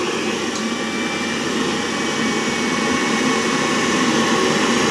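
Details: Laundromat gas water heater whose fan motor had fried, firing up at its set temperature; draft damper tested fine. Steady, even rushing roar from the fan and lit burner with no surging or rattles: heater running healthy.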